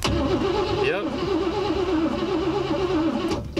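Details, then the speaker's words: 1956 Cadillac Eldorado Seville, sitting 30 years, cranked by jumping the purple wire to the red: steady starter whirr with an even, wavering churn as the engine turns freely; not seized, needs fuel. "if you can hear that motor is turning over so um all we got to do now is check for spark"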